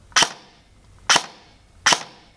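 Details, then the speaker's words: Airsoft gun after Gate Titan V3 MOSFET install on an 11.1V 1450 battery, semi-auto final test with trigger travel about halfway: three crisp single shots, clean snap, no drag or double cycling; normal semi-auto firing. "So we've got the gun on semi-auto, and you'll hear that it's nice and you'll see we've got a bit of travel on the trigger"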